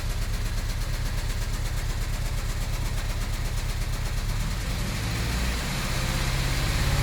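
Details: Idle runs with an uneven, stumbling beat, about 170 pulses a minute, that loses rhythm midway then settles; intermittent misfire or chugging, cause unclear (valve issue suspected), later runs okay.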